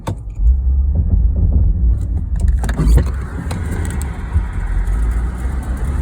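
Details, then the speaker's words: Audi A8 after camshaft sensor replacement: labours and stumbles, won't rev, loses all fuel pressure once at temperature; owner suspects fuel pump, relay or tank; stalling and not revving when hot. "And it just won't run when it's up to temperature, and it loses all fuel pressure."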